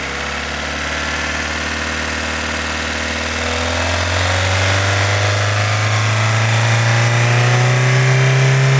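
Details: 2015 Opel Astra H Z16XEP petrol engine going from idle into a rev: fast, even tick about four per second on the engine note; vanishes when cylinders 3 and 4 are cut, tappets replaced without change, non-original camshafts suspected; source unknown.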